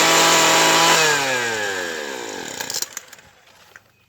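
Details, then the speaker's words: Craftsman Sim-Pull two-stroke string trimmer after carburettor and fuel line replacement: buzzy note drops in pitch and dies within seconds when choked; won't hold idle though top end is good; idle speed set too low, turn up the idle screw. "Needs tuning, needs idling up a little bit. It won't stay running on its own, but it runs good top end. Just need to turn the idle up and it should stay running."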